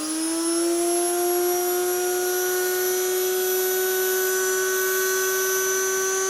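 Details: Motor from a 1997 Rainbow D4C SE canister vacuum, test-run after replacing a failed PGN bearing that had caused ticking and polishing the commutator. A high whine climbs to speed, then holds smooth with no ticking or banging: the motor runs normally.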